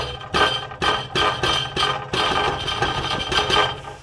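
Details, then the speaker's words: Nissan 350Z with an aftermarket Y-pipe: a hand strike on the pipe brings a sharp tinny clatter, about eight hits in four seconds, from a loose internal baffle. It is loudest at every cold start and quieter as the car warms; the driver-side baffle is being deleted. "okay so that that's what I'm hearing every time I start my car up like I I can't do it it it gets uh a little bit quieter as uh as I'm driving and as it warms up and everything"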